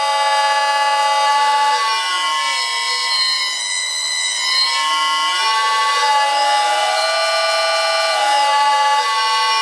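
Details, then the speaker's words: 1 hp six-pole MEZ motor on a lathe run by a VFD at up to 60 Hz, compared with a 1 hp four-pole motor: clean high electronic whine with tones that step and sweep with drive frequency, no grinding; the motor is healthy. "so that's the sound difference between a four pole and a six pole motor both one-horsepower both from the same manufacturer"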